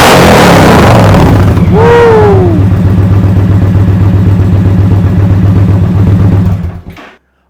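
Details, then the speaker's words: 2023 Indian Pursuit Elite V-twin with 4.5-inch zombie baffle slip-on exhaust running. Loud, throaty, steady pulsing with a deep roar and no misfire; quieter on the recording than in person. Healthy bike with loud aftermarket pipes. "so listen again it's nowhere near what it sounds like in person but oh I'm gonna tell you man sounds beautiful"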